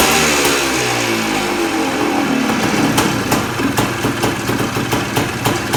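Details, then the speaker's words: 1979 Suzuki PE250 two-stroke just fitted with a new 38mm carburetor (old float stuck, leaked, hard starting), started on choke: crisp crackle climbs cleanly with each throttle blip and settles back evenly; running well. "well how's that fired up easy runs good um that's fabulous"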